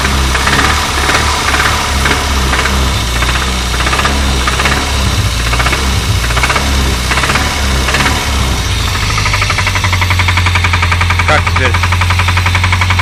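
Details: Renault 25 engine running loudly with sharp, irregular knocking about twice a second; source of the knock not yet pinned down.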